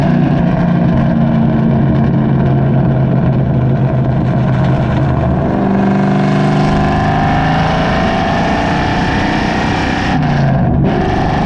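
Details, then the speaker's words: Cammed SN95/New Edge Mustang GT driving after an IAC valve restrictor plate was fitted to fix hanging RPM, GoPro on the rear bumper: a deep V8 pulls up under throttle and drops cleanly between shifts; revs no longer hang. "this kind of gives you the best demonstration of the difference that the idle air control valve did indeed make"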